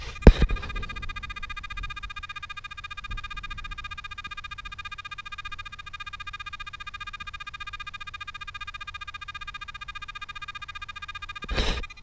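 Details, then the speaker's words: Pirate Pro metal detector with sensitivity raised to 8: a steady high threshold tone throbbing rapidly and evenly between handling knocks. Threshold pulsing from high sensitivity. "okay so we're eight we're getting our pulsing threshold sound again"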